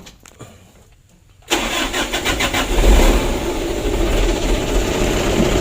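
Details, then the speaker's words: Mitsubishi Canter 125 PS Super Speed diesel with hard starting and occasional stalling, tested before repair: long cranking, won't start without throttle, then fires only with throttle and stumbles unevenly into a rough idle. "kalau digas bisa hidup ya, cuman nggak langsung nyamber begitu. Ini mesinnya sudah hidup."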